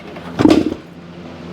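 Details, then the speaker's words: 1975 Suzuki TS-250 two-stroke with a 6-volt system and a rewired stator, key and fuel on, fuel confirmed: two dull kick-through thuds with no firing; won't start. The plug was then found wet. "I've been getting fuel that's not my problem it's uh it's uh just doesn't want to start so we're back to kind of where we were"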